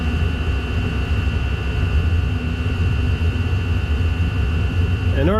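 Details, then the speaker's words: Chinese diesel heater giving low temperatures, restarted after going out. A low, uneven roaring rumble steadies only with the air inlet partly covered, showing it runs too lean, and it soon goes out again. "you'll hear the noise stop and you'll see the temperature drop and then when I put my fingers there it will Stir It Up again"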